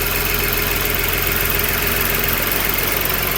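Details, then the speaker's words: Skoda Superb VR6 six-cylinder at cold-start idle with misfire faults and fluctuating rpm: a steady airy hiss over a slightly uneven idle as air is sucked in through a torn PCV valve, a vacuum leak; gearshift jerks noted, no transmission fault. "यहां पे इसका PCB wall है यहां से हवा ये अंदर खींच रहा है। सो आप देख सकते हैं। आपको बताया मैंने इसका पीसीबी वाल वैक्यूम बना रहा था।"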